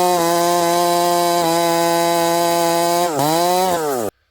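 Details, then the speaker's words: Husqvarna 371xp chainsaw (372 build) with pop-up piston, 28 inch bar, back-barring hardwood; high steady buzz at full revs, then pitch sags and wavers and cuts out, engine breaking up when hot, owner suspects ignition coil. "I could feel something and hear something I don't know what's going on I've noticed it a couple times with both Builds on this saw something's going on with the ignition it sounds like the coil is kind of breaking up uh when the saw gets hot"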